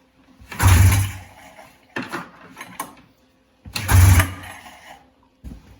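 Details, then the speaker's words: 1994 Polaris Indy 440 two-cylinder liquid-cooled snowmobile, after 12 years sitting, first start on fresh fuel from a can, fuel pump confirmed pumping: two pulls, short chuffs, no firing; no spark, later restored by unplugging stator black wire. "last night after I failed at getting this thing started I saw one dude he said he unplugged this black wire um coming from the stator and he got spark back"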